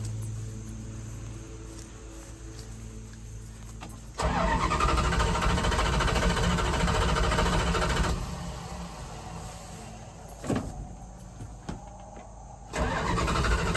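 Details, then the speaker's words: 1978 Dodge Adventurer Power Wagon, 318 V8, automatic, not started in over a decade, fuel line cut and carburetor primed, choke disconnected; starter spins the V8 steadily for about four seconds, then a second try, never firing. Crank no start. "Well, I want to turn it on first. Whoops. Let's see what happens. Nothing there."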